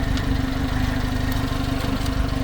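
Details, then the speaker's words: Subaru Sambar crane truck engine with engine cover down, new plugs and wires: quick even putter at steady idle with no misses, knocks or ticking; runs excellent, no blowby, wet exhaust or valve cover leaks. "All right, this thing runs excellent. See no blowby, no wet exhaust, no oil, no leakage, no seepage here around the valve covers. Listen to that motor."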